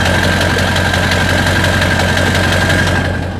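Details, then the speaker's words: Lifted 2000 Ford F-250 4x4 with the 7.3L turbo diesel, recorded at the exhaust side: deep, even chugging at steady idle with a faint turbo whistle and no knocks or misses; healthy diesel idle. "Listen to that. Chugga, chugga, chugga."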